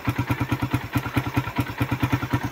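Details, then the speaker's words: Suzuki Raider single-cylinder idling after repair: timing chain tensioner adjusted, chain and sprocket adjusted; compression-release tapping from cylinder head now gone. Crisp, even firing pulses, no metallic tapping. Normal idle. "Ayan. Wala walang lagatak. Wala na siyang lagatak. So ginawa natin ng paraan yung lagatak dito sa compression na release niya."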